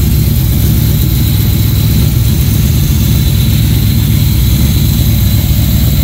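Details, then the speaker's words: GM Performance Parts Chevy 350 crate engine with marine carburetor, candidate boat engine: deep steady V8 rumble at fast idle, even beat, no knocks or misses; healthy. "let me fire it up let you guys hear it with the Marine carburetor uh sounds pretty good it's got the uh it's got a fuel pump uh provisions on the side of the block"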